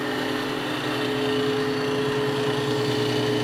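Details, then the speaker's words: 20-inch planer just fitted with spiral carbide cutterhead, first power-on unloaded; smooth quiet whir, clean steady tone, no knocking or bearing growl, so quiet it seems off, cutterhead and feed rollers working properly. "That's oddly quiet. (chuckles) Is it spinning? Yeah (chuckles). Okay. That's kinda scary. It's almost too quiet. It sounds like it's not working, but it is."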